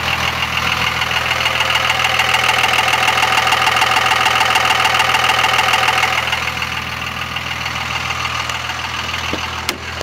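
A steady, fast tick of about three per second rides over the diesel idle, then fades as the revs drop; source unknown.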